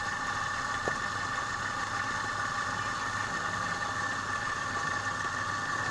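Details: Compressor after repair of jamming where a stone lodged in the valve against the piston: steady even hum, constant whirr, no knocking or catching; running properly.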